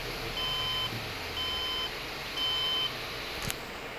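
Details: HP desktop giving 5 and 6 beep codes: repeated long, high beeps about a second apart at startup, caused by two faulty memory slots.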